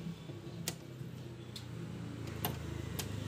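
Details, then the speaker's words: Yamaha Vixion that died suddenly, engine seized and forced round by hand at the magneto: sharp, uneven metallic clicks as its four valves, two intake and two exhaust, strike each other and the piston. "suara klep yang bertabrakan satu sama lain karena klepnya 4. Sekali membuka, 2 buah klep in dan 2 buah klep X ini saling bertabrakan dan menabrak piston."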